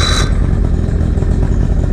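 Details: 2008 Tracker boat 50hp Mercury outboard on water supply after water pump replacement, timing set and new BPZ8HN10 plugs: short burst of steady, deep rumble with even firing, no knocks. Runs well.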